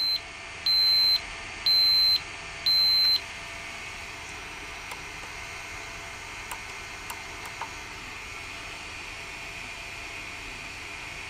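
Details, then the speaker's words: Sharp PC-4500/PC-4521 laptop hard drive at power-on; three sharp high beeps about a second apart, then only faint hiss and ticks with no spin-up; heads lock and won't unlock, fault suspected in arm-release control; drive fails to spin up. "problem is the heads seem to lock and won't unlock which is a bit of a problem"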